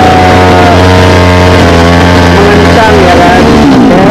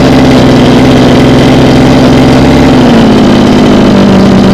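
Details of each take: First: Small two-stroke mini water-pump engine on premixed petrol, hard to start: revs climb unevenly on their own, then the note falls away as it stalls; fuel starvation. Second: Small two-stroke mini water-pump engine on premixed petrol, after the fuel-starvation surging fault was fixed: it idles steadily with an even beat, speed drifting slightly then settling, so it is running normally with no surging or stalling.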